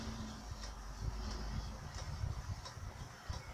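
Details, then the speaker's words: 3.5-inch hard drive, possibly previously opened, spinning up on test bench: sharp, evenly spaced clicks about every two-thirds of a second over faint hum; failing drive suspected, unconfirmed. "Пошел крутиться. Набирать обороты. Щелкает, как вы видите."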